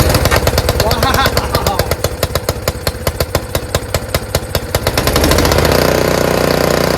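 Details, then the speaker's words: Free curbside Honda HS520 single-stage 4-stroke snowblower after ultrasonic cleaning of a varnished carb, fuel bowl still leaking: starts first pull, single settles into a steady even chug with no misses; normal running. "Wow! That sounds great! Fantastic."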